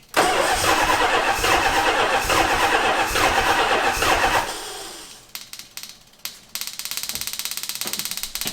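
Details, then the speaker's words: 1977 Dodge Monaco 360 V8 parked since 1989, first start attempt: fast, even cranking for several seconds, then it stops without firing and cranks again weakly, with no fuel reaching the carburettor. Crank no start, no fuel. "Be strong, little starter. Why is there not fuel in the carbonator?"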